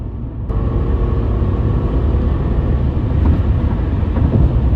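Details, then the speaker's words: 1997 Toyota Celsior UCF20 (LS400), 260 hp V8, first proper drive after suspension rebuild and LS430 alternator install, heard from inside the cabin at full throttle: deep smooth V8 rumble building steadily, no misfire or knock; pulls healthily. "She pulls, boys. She pulls. A 260 horsepower V8 is no slouch, people."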